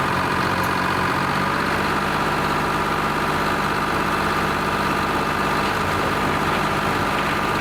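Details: Lima 34 shovel, just fired up after a round of repairs, before greasing and digging: steady, even two-stroke diesel idle with a smooth rumble and no knocks or misses; normal, healthy idle.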